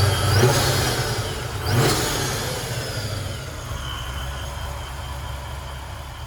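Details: 1994 Impala SS with blower, after replacing the Racetroix fuel pump relay to fix an intermittent fuel pump fault: the engine blips up and settles back to a steady idle, pulling cleanly with no stumble or misfire.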